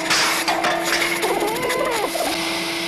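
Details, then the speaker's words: Snapmaker 2.0 3D printer power module stock small cooling fan: loud steady high whir around 300 Hz, about household-vacuum level; fan too noisy, replaced with quieter 35 mm 24 V hydraulic-bearing fan. "this guy's got to change something's got to happen because that is really loud let's see how loud it is"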